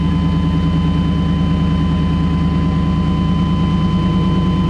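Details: 1995 Chevy Tahoe V8 started right after a starter motor replacement; the engine settles into a steady, even idle with a smooth low burble and no grinding or whirring from the starter, a normal idle.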